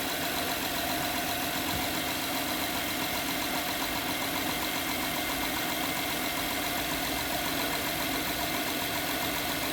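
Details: 2011 Honda Pilot at idle, customer complaint of strange engine noise and stinky smell: light uneven ticking knock about three or four per second; engine looks normal, knock source still unknown.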